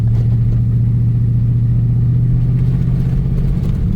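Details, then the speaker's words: Old Chevrolet Silverado original engine, unrun for about 1.5 years, fresh gas, while driving: heavy uneven low chugging under load, poor brake vacuum, traction messages. "the brakes don't work the greatest cuz it's not getting proper vacuum it is chugging but it is"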